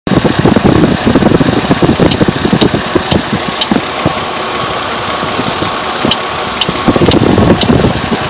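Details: 2002 Chevrolet Trailblazer petrol engine at idle: sharp, light ticking about twice a second in short runs. It persists after the fan clutch was replaced; owner suspects the water pump. Cause unconfirmed.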